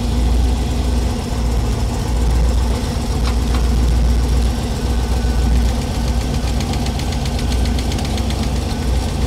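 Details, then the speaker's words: Small-block Chevy V8 in a 1932 Ford Coupe, idling during running valve adjustment: light uneven tapping from a loose rocker clatters until it is tightened, then goes quiet before moving to the next; valves were only slightly off. "So you're adjusting it, you hear the noise, you tighten it down, the noise is gone, move on to the next one."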